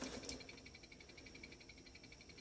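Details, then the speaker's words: Dell Optiplex GX150 Pentium 3 thrift-store PC: holding the power button gives faint, fast, even high-pitched ticking like a key ticker, and nothing else starts; no boot, owner suspects power supply or anything, some parts unhooked inside. "Comes on, and it sounds like a key ticker when you hold the button down."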